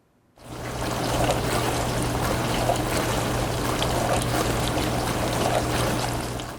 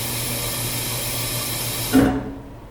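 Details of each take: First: The spray arms make a whooshing sound as they spray the dishes. The spinning is driven by the water pressure. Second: Dishwasher at cycle start: steady rushing water as the inlet valve opens, then a single loud thunk as the valve closes, water hammer, described as a sound that can be normal.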